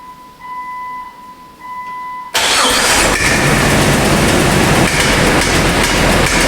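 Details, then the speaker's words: Jeep engine with a poorly maintained, heavily sludged, worn history, started cold before warm-up and Seafoam: loud running with a sharp, fairly even valvetrain tick from a pushrod unseated from its rocker for the third time; owner suspects sludge. "so as you can hear that's pretty horrendous so before i do anything with this as far as warming it up or anything else i need to get the valve cover off i need to fix the uh the push rod get it back underneath the rocker"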